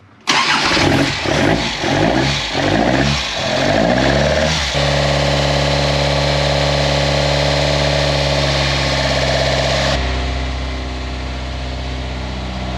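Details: Toyota KE70 Corolla, next day after a no-start with spark confirmed; starter cranks about four seconds, then catches and settles into a steady, even idle with no knocks or misses.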